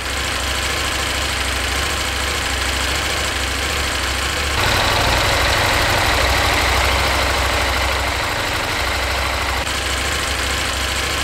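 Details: KTM 890 Adventure R parallel twin, after fitting a Dirt Tricks cam chain tensioner to cure engine ticking: steady, deep, even idle with no obvious top-end ticking, much quieter than before.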